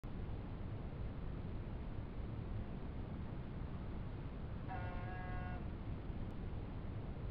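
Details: 1987 Honda Goldwing GL1200 Interstate: short buzz under a second over steady low engine rumble, recurring about every 6 seconds in the clip (every 3–4 minutes while riding), began after first ride of the year; intermittent buzz, source unknown.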